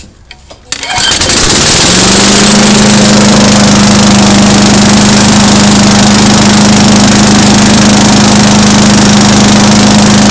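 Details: Small engine after valve lapping and reassembly with reused gasket, primed twice: compression improved, fires on first pull (previously needed 3–4 pulls), steady even drone with strong hum, no raw fuel smell; normal running.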